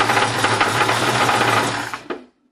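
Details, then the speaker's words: 1968 Ford Mustang fastback: rapid, sharp ticking knock hammering fast and steady over the engine until shutdown; owner fears serious engine trouble, cause unknown. "this is my Mustang 1968 fastb and it's uh got some motor trouble right now and I just want to I want to capture it on film so that I can refer to it later"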